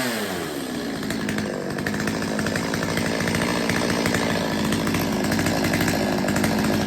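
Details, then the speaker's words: Stihl 025 chainsaw after its lean low-speed circuit was richened and the idle readjusted (fixed-jet high speed): a steady, even two-stroke idle burble with no hunting or stalling; now running perfectly fine. "I had to fatten it up a little bit readjust the idle and now she runs fine I mean she runs perfectly fine"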